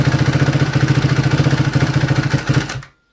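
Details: 2011 Suzuki RMZ250 single, top end rebuilt 2–3 hours earlier: cold start then warm idle with varied idle speed; fast even ticking valve-train chatter, later found to be incorrect cam timing.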